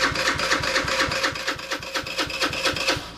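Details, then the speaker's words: PMZ50 2020 Honda Grom clone with 139QMB GY6 engine, theft-recovered, cranking on the starter: firm, slightly uneven chuff about four per second with a gallop, showing good compression. "It sounds like it has compression. Got a little bit of a gallop there. So that's compression."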